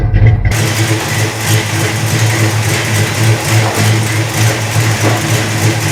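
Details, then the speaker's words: 1974 Dodge Charger V8 after sitting two years, after fitting a carburetor base gasket and spacer to cure the vacuum leak: steady, even low idle with a smooth unbroken rumble, no misses or ticks; settled and running well. "i guess it runs pretty well"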